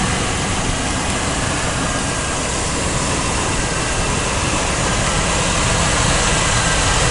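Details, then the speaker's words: 1992 GMC 1500 with the 4.3-liter engine. After starting smoother, the idle drops and the engine shows a big miss, a loping, uneven beat with a stumble every few turns. The owner notes the miss is worse cold and under load; cause not yet found, and timing light checks follow. "actually it's not a little Miss it's a big Miss cuz when you run the engine it's missing really good"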